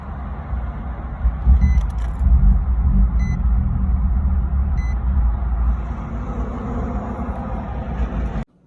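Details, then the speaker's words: Nissan 350Z (VQ) that cranks, starts, then chokes out and dies even with throttle applied. The engine catches and runs unevenly under light throttle with dash chimes, then cuts out abruptly. "you saw in the video, when I would turn the car back on, it would crank over, then it'll turn on, and then it'll just choke out and die."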